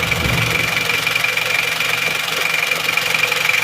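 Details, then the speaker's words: Isuzu Panther Miyabi diesel after engine overhaul, hot, idling with a crisp, even clatter of roughly four ticks a second and no misses; little smoke, pump timing thought still too advanced; normal idle. "enak ya suara mesinnya e mesin panas suaranya bunyinya tambah renyah"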